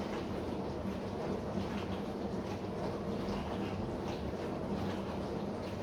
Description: This Bosch SMV53M70EU/A5 dishwasher makes a humming noise.